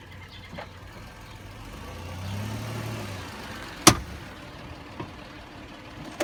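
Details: Car rolling slowly gives one sharp loud pop and a few fainter snaps when braking, coming from the front driver's tire; popping noise when braking.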